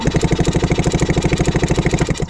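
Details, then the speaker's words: 1967 Yamaha YL2C Trailmaster 100 motorcycle with spark plug removed: quick, even whirring pulses about twelve a second with no compression load; the electric starter, just discovered to work, spins the engine freely and strongly. "I must have kick-started this thing 100 times with my foot in that last video. And it's got an electric starter that works."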